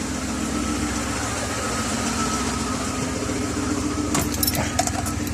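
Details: BMW E36 with M50 engine at idle, lumpy and uneven, the hum stumbling now and then: misfire before spark plug replacement; plugs suspected, cause not confirmed.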